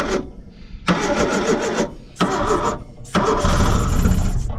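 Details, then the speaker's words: 1970 Opel sitting about 41 years, cranked by jumping the starter solenoid with gasoline sprayed into the carburetor: three uneven cranking bursts, then it fires and roars up while waiting for the fuel pump to pick up. "oh we almost had her come on come on uh you're a good healthy amount maybe there we go we got her running now come on pick up fuel pump"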